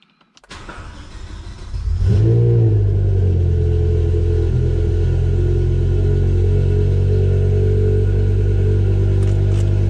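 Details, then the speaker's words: BMW E60 M5 after vacuum pump replacement and codes cleared: starter catches, revs flare about two seconds in, then settle into a steady low idle that fluctuates slightly; normal idle. "whoopsie you guys can hear me it's a little bit fluctuating"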